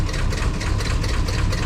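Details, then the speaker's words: 1994 Chevy Silverado 2500 7.4L V8 after exhaust manifold donut replacement, idling on lift after 55 mph drive: loud rough idle with heavy rhythmic knock; camshaft noise and rod knock suspected. "So even though I think there's quite a bit of camshaft noise, down below you can hear some rod knocking noise as w"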